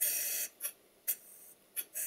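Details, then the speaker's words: Stuart Double 10V model steam engine, crankshaft turned on compressed air: sharp hisses and puffs each stroke, some clipped, others drawn out; one cylinder's valve wheezes at both stroke ends while the other chops cleanly. "if you listen carefully to the noise at the engines making you will hear that one of the valves admits and exhausts nice and cleanly with a bit of a chop and the other one just weees at both ends of the stroke"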